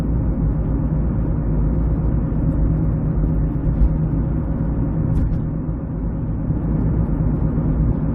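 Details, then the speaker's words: 2006 Ford Escape Hybrid driving at about five or six degrees out, nearly 70 miles into the drive: a steady low front hum under road noise that changes only with speed, separate from tire noise; ice ruled out, cause unknown (bearing, rotors, pads or electric motor suspected). "so you can hear it humming pretty good now of course it's like five or six degrees out so i was thinking maybe it had something to do with maybe i got some ice somewhere under there"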